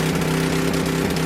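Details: Coleman Powermate 6250 generator with Tecumseh 10hp engine, curb find, on full choke, no air filter: steady single-cylinder hum with slight unevenness, spitting back from carburetor, valves suspected; normal running.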